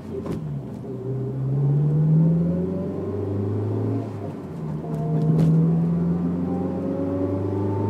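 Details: Honda S2000: clear tone climbs with road speed when throttle applied and fades when lifted, appearing only on the gas; drivetrain whine, owner unsure whether diff or transmission.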